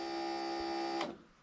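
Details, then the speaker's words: Rail motor car with a 12 V system and an RC-car module wired through a resistor block and relay: with the switch turned on, a steady electric hum runs about a second and cuts off cleanly; the fuel pump is priming normally. "so the switch is on now when we do this you'll hear the fuel pump Prime"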